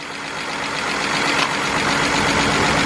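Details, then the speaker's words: BMW 328i idling rough with a slight misfire, coils being unplugged one at a time to test: uneven, lumpy pulse of about four beats a second; it turns out to be running on four cylinders, so a coil is suspected. "okay we got a slight misfire"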